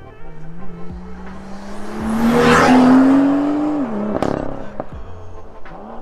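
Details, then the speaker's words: BMW M2 (N55) M Performance exhaust after removing the tips: clean rising rev and smooth drop back with no cold-start metallic vibration or rattle, so the tips caused the noise; normal exhaust note. "so the exhaust still sounds good"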